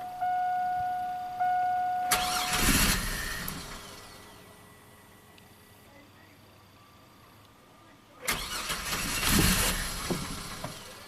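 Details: 2002 GMC Sonoma V6 with long-crank and low-power complaint after five fuel pump replacements: two short cranking bursts with a dead pause; fuel pressure 58 psi key-on (spec 60–66), confirming low fuel pressure.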